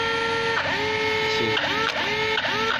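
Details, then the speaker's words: Traxxas X-Maxx 8S steering servo dead after only 4 light runs on 6S/8S over gravel, grass, road and small jumps: a thin electric buzz in sliding-pitch bursts about once a second, with no servo response or steering movement. "guys, what's this sound? It's coming from the servo."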